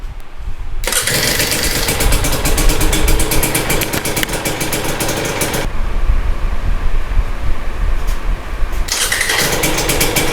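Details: 2022 Husqvarna TE250i two-stroke, 157 hours, first start after top end rebuild: fires quickly into a crisp, even idle, drops out briefly, then restarts cleanly; healthy top end.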